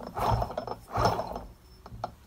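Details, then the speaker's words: Eaton M90 supercharger for an RX8 build, after needle bearing replacement, rotors spun by hand at the snout: a loose, uneven ratcheting clatter in short bursts. Play remains. Supercharger rotor bearing play. "if I spin it you can hear there's a little bit of play still I'm just I'm twiddling the snail end right so it's a thousand times better but it's still not right"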